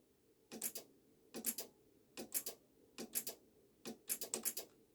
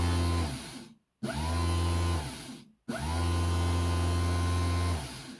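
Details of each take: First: BMW ABS pump with code 5DF0, motor bench-tested at 12–12.4 V: sharp paired clicks about once a second with no running hum, so the motor is seized. Brushes stuck against the commutator are suspected. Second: BMW ABS pump, fault code 5DF0 (pump unit faulty), brushed DC motor reassembled and bench-run after repair: three short bursts of a strong steady low hum, spinning up cleanly and coasting down evenly; runs normally and spins hard.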